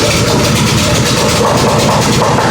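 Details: Brand-new Predator 212cc 6.5hp four-stroke engine (Harbor Freight Honda clone), stabilized fuel, cold start on choke at half throttle. It catches right away and settles into a steady, even run with no misses or knocks; normal, healthy start.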